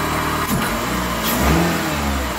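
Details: Chrysler PT Cruiser after fuel system priming, airbox off, first startup: engine fires right up and revs freely, then holds steady idle with no stumbling or hesitation.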